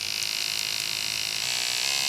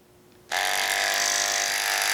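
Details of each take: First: Andis SMC 5-Speed clipper after fitting a new front motor mount (was making noise): steady, even high-pitched buzz with no rattle or dropouts; cam running nicely, sounds much better, healthy. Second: Noisy Andis SMC 5-Speed clipper before repair, also with a popped-out button: switches on to a harsh, buzzy whine with a rattly edge over the hum; the motor is loose in its mount.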